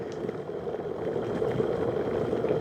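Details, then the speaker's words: Second-hand electric kettle filled very full with citric acid water for descaling: rising, even bubble and hiss coming up to the boil, no spitting or leaks; slow boiler but performing normally. "It's coming up to the boil now. It's not a fast boiler, but I did have it very full."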